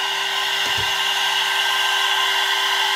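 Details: Air-cooled 1.5 kW 110 V CNC spindle on a 2.2 kW VFD at full speed after a five-minute run, body about 82°F (28°C) and fan air blowing along it: steady high whine, even hiss, no rumble or rattle; healthy spindle.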